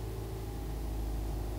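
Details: Car that would not crank on a weak, dead battery, restarted after the battery was reconditioned: steady, even low rumble with no misses or knocks. Normal idle.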